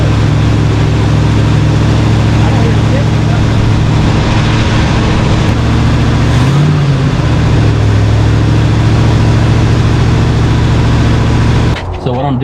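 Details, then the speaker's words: 1968 Ford F100 junkyard pickup started after sitting about 12 years; its V8 holds a loud, steady, fast idle well above a normal burble, with only a brief dip. The idle is set way too high and is being adjusted down because the truck has only rear brakes. "I'm doing here is I'm adjusting the the idle down because it's idled up way too high"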